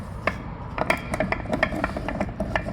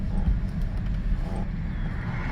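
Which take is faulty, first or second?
first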